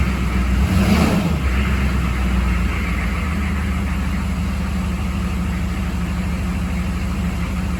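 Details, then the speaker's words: 6.5 diesel truck after fixing fuel starvation that made it run out of fuel and die, possibly air in the line: short rev then steady even clatter, runs smooth but still some hesitation. "it sounds good it feels [Music] smooth still has some hesitation though"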